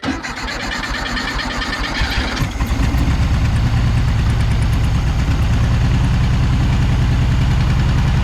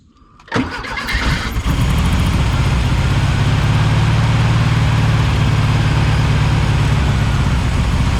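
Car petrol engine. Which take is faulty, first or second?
second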